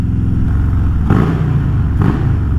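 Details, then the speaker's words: Harley-Davidson FXLRST Low Rider ST, Stage 2 117 ci V-twin with Star Racing 30/30 cam, after a dyno tune, riding on a chilly day: deep, loping low rumble swelling smoothly as the throttle opens twice; strong, even and healthy. "it's got a nice deep deep Rumble to it"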